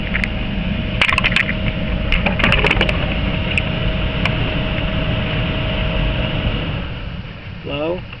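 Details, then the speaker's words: 2004 Chrysler Town and Country with a no-heat condition, after replacing the blower motor heat resistor and reconnecting the blower motor; engine running, even airflow rush with a steady low hum as the blower runs properly again. "on oh and it works so we're good everything's connected"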